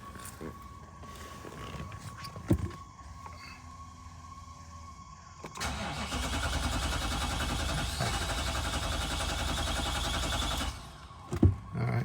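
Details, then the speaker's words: 2011-2024 Infiniti QX56/QX80 first start after fuel pump replacement: steady starter churning about five seconds with no firing; extended crank no start while fuel reaches the engine, needs repeated priming cycles. "it's gonna take a couple tries probably, just to get fuel there. Let's give it a minute."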